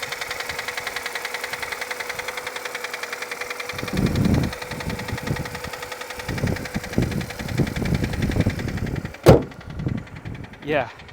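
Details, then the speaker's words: Auction car from New York, heard from inside at idle: fast, even tapping about six times a second over the engine before handling noise takes over; engine knock. "o you hear that that is not healthy let's hop out and see what that sounds like under the hood"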